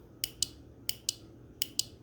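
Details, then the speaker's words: Motorcycle air horn install, key on in neutral, ground not yet connected: three pairs of sharp dry relay clicks at each press and release, horn silent because its ground isn't connected. "So you can see there the relay is moving. Obviously the horn isn't sounding because we don't have this ground connected."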